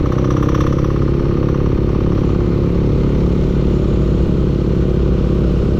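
Loud, steady engine with a rough clattering knock running through it at a fairly even speed; a knock of unknown origin.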